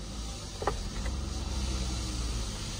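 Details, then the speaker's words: Saab 93 four-cylinder restarted after full service, new oil and rocker cover seal replacement, on a very hot day: low, soft, steady idle hum, no knocking or ticking, quiet and smooth, zero engine shaking; normal idle. "And we start it up again, see how the moment of truth, and how quietly and beautifully."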